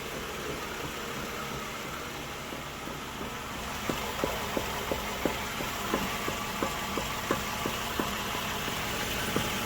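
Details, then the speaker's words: 2011 Toyota Sienna with bad vibration from 30 mph: steady idle with sharp click about three times a second as the drivetrain turns; broken CV axle joint found. "all right so as you can see that's where it was broken and uh I'm pretty sure you hear that I'm pretty sure this was the reason for for the uh crazy vibration that was that was uh doing"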